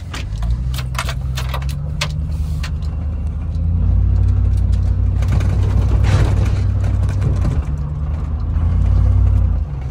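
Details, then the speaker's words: 2006 Chevrolet Silverado, used 5.3L V8 just swapped in, first test drive on the road: smooth note rising and falling with throttle, keys jingling, no knocking; temperature good, oil pressure rising with revs. Normal running under load. "time so far so good I don't hear any knocking or any noises temperature's good oil pressure is rising when I give it gas"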